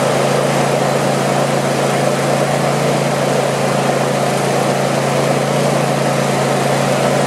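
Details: Craftsman YT4000 lawn tractor V-twin, sat in a barn for years: steady, even low hum, no misses, knocks or surging. Normal idle.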